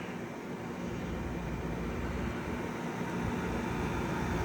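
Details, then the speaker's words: 2012 Frigidaire 18,500 BTU slide-out window/wall air conditioner, R410A, almost 14 years old, first spring startup at about 88°F outdoors: steady even fan and compressor hum with no knocks or rattles, running normally and blowing cold. "410A and it's still blowing cold at almost 14 years old."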